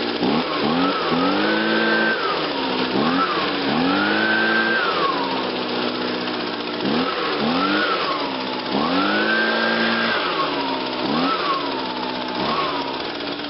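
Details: 2009 Echo PB 251 25.4cc handheld leaf blower, fired first pull after choke and about five primes, blips cleanly from a buzzy idle to a high wail and back, crisp and even; normal start and run.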